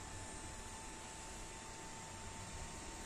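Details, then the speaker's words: Yamaha Xride motorcycle LED headlight cooling fan after cleaning and lubrication to cure noise: quiet, even whir with a steady high tone, no rattle or scraping, now spinning smoothly and fast. Normal fan running. "Nah, halus nih. Suara kipasnya jadi halus ya. Udah enggak kedengaran kayak tadi."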